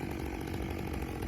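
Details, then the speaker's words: Rebuilt Stihl MS661 C-M chainsaw cutting after cold start, M-Tronic system adjusting fuel as it heats; strong even note holding steady under load, no bogging or surging, normal operation. "And that was a textbook example of the saw operating like it's supposed to, making changes like it's supposed to, you know, building that heat and going, "Okay, okay, little little bit more fuel."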